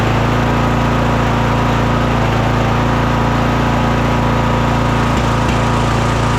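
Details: Craftsman DLT3000 lawn tractor engine, after coil, fuel filter and carb work: steady but lumpy pace with stumbles near the end. It still runs poorly, fine at full throttle but the idle is really bad. The owner plans a valve adjustment.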